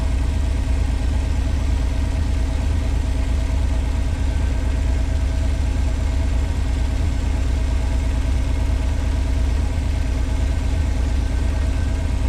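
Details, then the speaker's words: 1986 Pontiac Fiero SE V6, automatic, up to temperature: idles steady at 1,065–1,070 rpm, too high, with no roughness, and hits hard going into gear. Owner expects about 650–800 rpm and suspects vacuum leak, idle control or sensor issue. "This thing's up to temperature. Idling at 1,065, 1,070. And I'll tell you guys, that's too much with an automatic."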